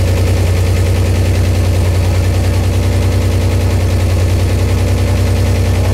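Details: Buick Grand National freshly built engine on its first start: a strong, steady idle with an even low pulse around 150 per minute and no knocks or ticks. It runs smoothly.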